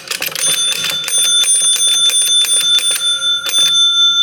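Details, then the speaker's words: Barn-find 1961 Gottlieb Corral pinball machine, stepping unit after re-indexing: quick, even stepper clicks between bright bell rings, no hesitation or missed steps; advancing properly rivet to rivet. "It's jumping correct so far. You can't see it. I'm watching the contacts back here to make sure it's properly stepping from one rivet to the next and not catching or stopping early."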